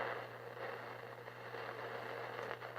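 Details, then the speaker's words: 1950s GE P672A AC/battery portable tube radio: steady low hum with irregular crackles and pops that come and go regardless of volume, pointing to the output stage; a shorting coupling capacitor is suspected; intermittent crackle. "You can hear that. And it kind of comes and goes. It sounds like silver mica, but it's not, because I still have it regardless of the volume."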